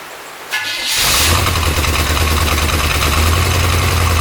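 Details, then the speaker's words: 1972 Corvette first run in the car after 10 years abandoned, cold, in heavy rain, timing ~10° BTDC; cranks, catches, low uneven wavering idle; owner suspects vacuum leak at used base gasket and wants a different carburetor; rough idle. "i think it needs a car a different carburetor and a different base gasket the best gasket that i used was obviously used and i think it has a vacuum leak right here on the side"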